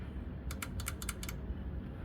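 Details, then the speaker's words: GMC six-cylinder fuel injector bench-tested in a vise on 12 V, tapping the negative cable: about seven crisp clicks in under a second, one per tap; the injector opens normally. "The negative cable, I can tap it and open it and hear it clicking."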